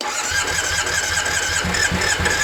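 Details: 2001 Triumph Bonneville T100, no start after long lay-up outdoors: starter whirs in uneven bursts with a high whine, engine not catching despite confirmed spark and fuel; it later starts on one cylinder, knocking badly.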